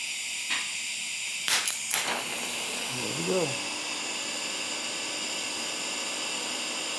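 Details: Firstess (Yeswelder) DP200 in lift TIG mode, 125 amps on 1/8 in plate, manual shield gas valve: after a few sharp clicks a smooth, even hiss holds steady with no crackle or sputter; TIG arc burning normally.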